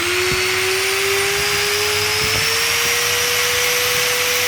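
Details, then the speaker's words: Angle grinder after bearing replacement, running with a clean steady high whine rising to full speed, no rattle or wobble noise from the rear; healthy, like a new grinder. "nah Mantap kan itu dia cakep lah pokoknya gua Seneng banget jadi kayak punya gerinda baru dah"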